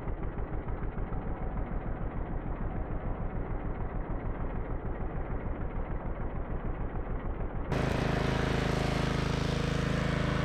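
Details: Yard Machines by MTD model 638 RL riding mower, previously starting then dying, after draining the gas tank, replacing the fuel line, air filter and blades and cleaning the carburetor: the single-cylinder thumps evenly, then runs smoothly under load without stalling.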